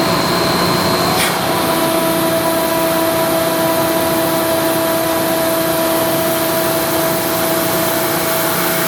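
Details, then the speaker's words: Ingersoll Rand SSR-EP60 60 hp air-cooled rotary screw compressor, 125 PSI, 98,485 run hours, set to modulate, tank at about 85 PSI, restarted after unloading: even motor hum with steady building tones, intake opening, no knocks or grinding; normal startup and loading. "So I'll start it up again. You can see the intake opening up."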